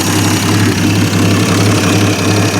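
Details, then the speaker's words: 1950 Studebaker Champion revived after 40 years in a barn, on restart after a high cold-start idle; steady low hum with soft even throb, no misses or knocks, no big leaks, no longer smoking; normal smooth idle. "no big leaks she's running good I like it sounds pretty smooth All Things Considered I like it not even smoking anymore"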